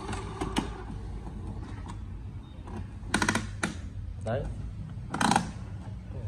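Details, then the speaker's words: Canon TS6130 color printer with missing colors, during ink pumping/print head cleaning: irregular sharp clicking bursts roughly every two seconds; suction pump assembly suspected broken inside or obstructed by debris, not confirmed. "chế tạch tạch tạch tạch đấy tạch tạch này là do cái cụm bơm hút của nó có thể là nó bị gấy ở bên trong rồi"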